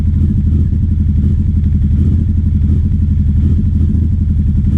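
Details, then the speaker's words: 2009 Aprilia Shiver SL750 twin: a deep, lumpy idle that jumps up and down and never settles, starting about a minute after start-up. There are no error messages. The owner suspects sludge from a dirty fuel tank. "with the idle. It's just jumping up and down. It seems to be happening about after a minute running."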